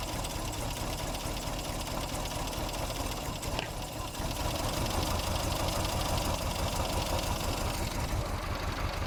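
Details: 1960 Triumph TR3A, long barn-stored, idling steadily after carburettor needle cleaning, with a light uneven tick about three times a second; water pump suspected but unsure, source unconfirmed; oil pressure just over 50.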